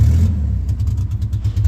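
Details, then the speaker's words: Six-cylinder Chevy Impala daily driver running on only two or three cylinders: deep, lumpy, uneven chugging that sounds like a diesel. Brakes were also fading, and it was limped to work. Owner wonders if it's a rod knock. Engine misfire, cause unknown. "Why is he only running on threeing cylinders? Oh, me. And I'm losing brakes. Holy [ __ ] I don't know how many cylinders he's running on, but I can definitely tell you it's not all six."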